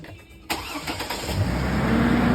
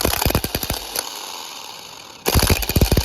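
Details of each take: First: Ford Focus started after wheel bearing replacement, starter suspected failing and valve cover gaskets possibly due for replacement; brief crank, engine catches at once and settles into a steady, even rumble, a clean, healthy start. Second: Ford Focus starter motor: three short cranking bursts with uneven, clattering strikes and hesitation between tries; a worn, failing starter.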